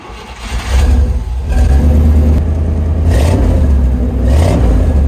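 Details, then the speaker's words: 1988 Chevrolet C1500 Scottsdale V8 farm truck after fitting a custom parts-store exhaust and fixing rich mixture: deep, even rumble through a couple of throttle blips, muffled and smooth, no rasp or leak; still sounds good, cab now bearable. "it still sounds really good and I can stand to be in the cab now so there's that"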